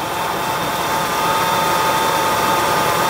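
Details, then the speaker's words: Car serpentine belt after talcum powder was applied to its ribbed side as a temporary fix for a squeak: engine runs with a steady, even belt whir and the squeal is gone. "And you can see it makes it go away. This is good because it's just a powder. It's not going to mess up your belt at all."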